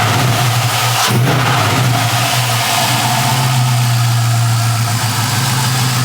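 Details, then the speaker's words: 1984 Buick Electra station wagon with swapped LS1 V8, automatic, no H-pipe: deep, steady idle burble with even exhaust beat and no knocks or misses; healthy idle. "yeah yeah I think it sounds nice I don't know like I said I think it would have sound better if I put a h pipe in it but it is what it is"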